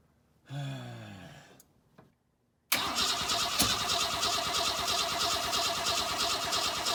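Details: 1962 Ford Falcon inline engine, not run in 25 years, newly fitted carburetor, more gas added: starter whir fades, then steady churning cranking for seconds without catching; cranks but won't fire. Timing later found way off.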